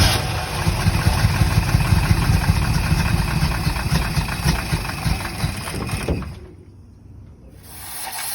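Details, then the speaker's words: 1964 Corvette with a weak battery, started on a jump box and start button: catches and runs ragged with uneven, stumbling beats before dying down. Won't start on key; fuel leaking from carburetor, likely accelerator pump, and gas very old. Cause not confirmed. "Pretty sure it has spark, it just won't start with the key. It sounds like shit, but it runs. Yeah, she definitely needs some love."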